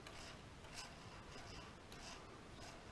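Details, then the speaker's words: Cleaned and oiled bearing turning slowly with soft, even rubbing swishes about twice a second and no hard grinding or clicks; sounds much better than before, though dirty oil is still being flushed out. "Now, I was real concerned about these bearings. Still am a bit. That sounds much better"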